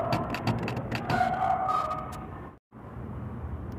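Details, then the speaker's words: Steady engine run with rough, uneven knocking about three per second over it; engine bearing confirmed blown, requiring full engine teardown. "Será que os rolamentos estão quebrados"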